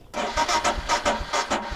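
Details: Royal Enfield Himalayan in cold weather, key on, in neutral: uneven starter bursts roughly every third of a second, engine never catches; no-start the owner blames on a weak battery and plans to replace it.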